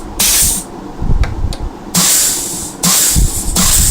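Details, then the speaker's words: Rebuilt Holden Commodore Trimatic TH180/3L30 automatic transmission, air test through a test plate on second, third and reverse clutches, servo/band and governor valve: short hisses with soft apply thumps, no leak-off, passages hold air. "Now we've got it all belt bolted down, including the servo cover. You can hear the second clutch, third clutch,"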